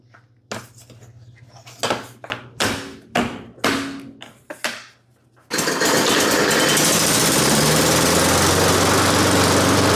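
Several rope pulls, then it catches and settles into a steady, even buzzing run with no misses or stumbles.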